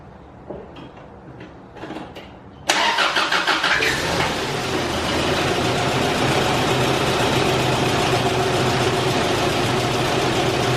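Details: 1989 Isuzu Trooper after replacing a seized idle air control valve that had prevented cold idle: a few clicks, cranks, catches and settles to an even, steady idle with no hunting or stalling.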